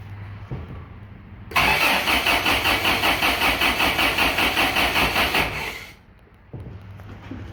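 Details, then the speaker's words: 1987 Toyota 4Runner 22RE after rebuild, cold start injector untested, brake cleaner sprayed in: steady cranking about two to three pulses a second, never catches; no-start, timing later rechecked and reset to number one. "okay I'm a little bit upset with myself but uh I recheck my timing I rotated this over to number one okay and now maybe my time is right"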